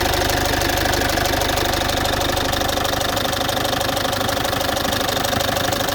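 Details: Citroën C5 2.0 HDi 100kW diesel at idle, injectors and valves repaired and new piston rings and valve seals 15,000 km ago: loud, steady ticking about three times a second over rough idle; owner suspects near injectors, unconfirmed.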